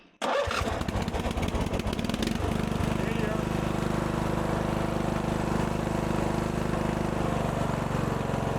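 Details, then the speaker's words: 1997 Murray riding mower after starter repair, shield and bolts refitted: starter spins a couple of seconds, engine catches and settles into a steady, even run; starter now working properly, normal start and run. "Well, she's back in action. I can get back to moving dirt."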